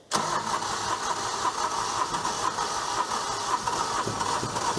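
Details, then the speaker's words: Small diesel on an auction Sky Trak telehandler listed as inoperable, cold-started after 10 seconds of glow plugs; short crank, catches and settles into a steady clattering idle; runs about perfect, belts may need dressing or tightening. "sounds like it runs about perfect to me it might could use a little bit of belt dressing or couple of the belts tightened up or something"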